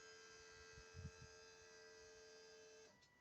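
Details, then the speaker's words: Volvo XC90 electric brake vacuum pump after its faulty valve (stuck closed contacts) was repaired: steady hum with thin buzz runs about three seconds when the brake is pressed, then cuts off cleanly; normal vacuum pump operation. "Все, перестал. Нажимаю тормоз, опять заработал. Все работает."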